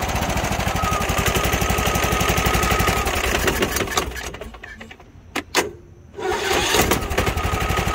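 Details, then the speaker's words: Husqvarna YTH21K46 riding mower, Kohler SV610-0212 engine, previously just clicked and wouldn't crank; after electrical repair (bad battery cell/connection, not solenoid or starter) it starts every key turn with a quick, even single-cylinder putter. "so now it fires up every time each time you turn the key and everything like that"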